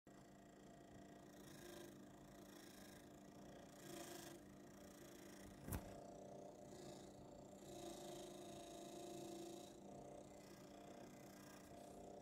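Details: Brand-new Lenovo Legion 5 17-inch laptop: quiet, rough, purring rasp swelling and fading under a steady whir; fan grinding rather than spinning clean, blamed on bad build quality.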